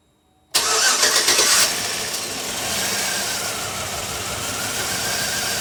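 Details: 2007 Chevy Tahoe with crank-no-start and P0300 random misfire from open engine-block ground wires behind the cam sensor connector, started with a jumper ground clipped to cleaned chassis: short crank, catches at once, steady even idle; shuts off when jumper is removed.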